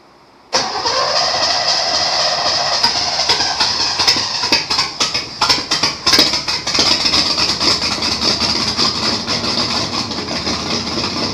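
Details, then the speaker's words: 1953 Chevrolet Bel Air rat rod small-block Chevy V8 first start in 30-odd years after new plug wires: cranks, catches abruptly, then runs rough and uneven with ragged bursts. "First time it has run in 30-something years."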